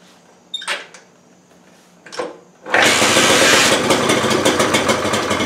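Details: 1968 Honda Trail 90 that sputters on the road: a couple of kick-start thumps, then it catches and screams at high revs; owner suspects the carburetor slide is stuck, hanging up the throttle.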